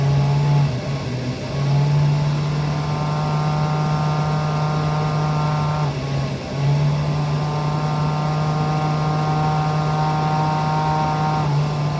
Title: Webasto macht Geräusche / strange noises